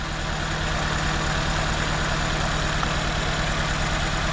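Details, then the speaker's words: 2004 Nissan Sentra with shaking engine, no misfire codes, only air-fuel ratio sensor code: coils unplugged one at a time at idle, uneven lope shakes harder when a working cylinder is dropped; cylinder 2 showed no difference, identified as misfiring. "the way I do this is I just disconnect pull at a time see if it makes a difference shakez more so that one's working that one shakes more so that one's working"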